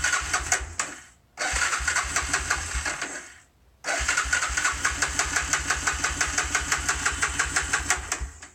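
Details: Honda 300 that suddenly won't start (sometimes starts eventually): starter churns in steady rapid pulses for several seconds, pauses, cranks again, but the engine never catches; cranks but won't start.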